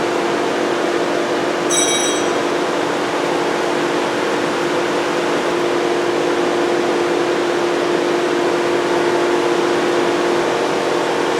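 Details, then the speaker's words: 2007 Volkswagen Jetta 2.5L, crank-no-start with key on; constant steady roar of cooling fans stuck on high with a faint hum; ECM not communicating on the scan tool, no check engine light; not a fuse. "no communication fans running all the time no check engine light"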